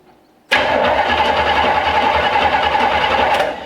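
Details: 1965 Chevrolet C10 step-side, before planned starter change: strong, even starter whir at about three and a half turns per second, steady for three seconds; normal cranking.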